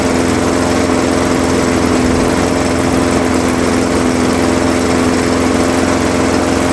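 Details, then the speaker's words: Craftsman 21-inch mower, 5.5 hp Honda GCV160, running to warm the oil before an oil change, after a smoky first start, until fuel runs out: even, steady single-cylinder buzz, no surging, misses or knocks; healthy. "We'll let it run for about 4 or 5 minutes. I think that'll that'll be good. That way it gets the oil nice and warm so it cools easier."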